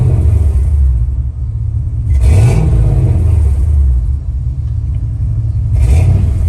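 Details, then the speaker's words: Two-door Chevrolet Tahoe: a low whine rising in pitch with each throttle blip and dropping at idle, newly appeared after shop work; alternator or pulley suspected, not confirmed. "every time you hit the gas you hear a big whining noise even when you hit the gas you hear whining"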